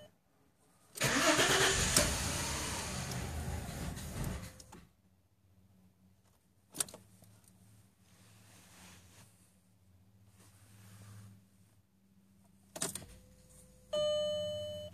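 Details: 2000 VW Passat Wagon 4Motion V6 cold start: long rough crank, uneven low idle, dash chime once a second; misfire codes cylinders 3, 4, 6, new plugs helped only briefly; owner suspects fuel filter, then coil pack.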